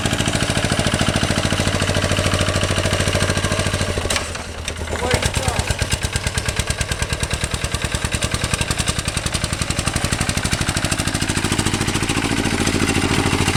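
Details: 1966 Lister LD1 single-cylinder high-compression diesel on restored auto truck, completely rebuilt, just cold-started on a freezing day: steady, even chuff at about two beats a second, crisp and regular, no knocks; running well.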